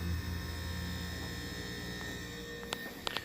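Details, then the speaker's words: Frigidaire fridge that was not cooling (about 61°F inside), plugged back in after evaporator fan work; fan running, then a steady low hum with a faint buzz and no clicking as the compressor starts normally. "I can feel the air blowing through now we're gonna hear the compressor turn on"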